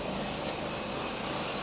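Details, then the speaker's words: 1989 Citroen CX 2500 GTI, off the road since about 2007 and just through its MOT, right after starting with some throttle: a piercing, steady high-pitched squeal over idle from noisy accessory belts. "you'll also notice that the belt are very noisy that's another thing that is very annoying"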